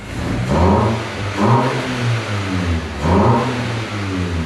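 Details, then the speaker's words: Wrecked MK6 VW Golf R after replacement dashboard and driver, passenger and knee airbags fitted; three clean throttle blips then smooth steady idle: normal revving. "everything is running nice but check it out guys"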